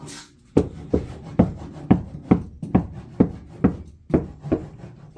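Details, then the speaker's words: 1985 Chevrolet K10 (LS-swapped) cab after butyl sound deadening: knuckle taps on the sheet metal give short dull thuds that die out fast, with no tinny ring. The panel sounds solid, with most resonance gone. "That's sounding pretty solid in comparison to. So it seems like most of the resonation is out of it."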